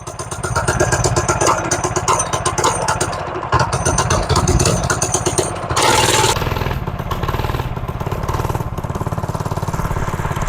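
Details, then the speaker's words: Brand-new 98cc Go Power Sports 3+ hp single-cylinder engine in a restored 1970 MTD Trailflight mini bike, started first time on full choke and still cold: fast even popping with a rev blip midway; healthy cold running. "That's one thing you gotta love about a brand new motor. They start the first time. Oh, she's still pretty cold."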